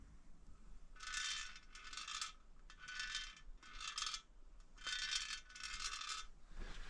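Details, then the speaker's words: Norton motorcycle wheel with drum, sprocket and bearings removed: six bursts of tinny, coin-like rattle as wheel is moved; something presumably loose trapped inside the hub, not yet found. "The wheels got a rattle. It's why we've got the the drum and the sprocket and the bearings and everything out of it."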